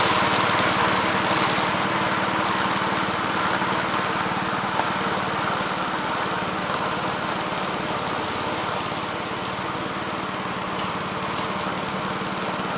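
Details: 1969 Gravely C8 walk-behind tractor after repair of no-high-range fault (drove only in low range, stop-and-go in high); morning start-up, single-cylinder putters steady and even around idle, no knocks or misses; running normally.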